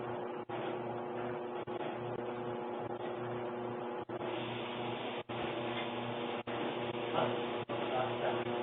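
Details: Kenmore Elite dryer (made by Electrolux) runs with a loud, steady droning hum and several fixed tones, far noisier than normal and getting louder over time; cause unknown.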